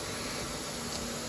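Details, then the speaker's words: CNC router with air-cooled 9 kW HSD/HQD spindle at idle: constant even hiss of bearing purge air with faint cooling fan hum, running all the time; fix adds timed shutoff after 90 seconds idle. "a constant air leak even when the machine is Idle so you have the air going through the variants it always happens on hsd and the HPV symbol on the 9 kilowatt model"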